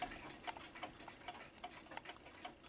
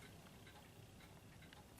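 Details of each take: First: New Haven clock, not yet cleaned, running a little out of beat because of its placement: faint ticks at uneven spacing, a limping tick-tock rather than an even beat, likely to end up stopping. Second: Junghans clock, knocked over, glass broken and door gone, yet still running: faint, steady ticking under quiet room hiss; evenly running and healthy.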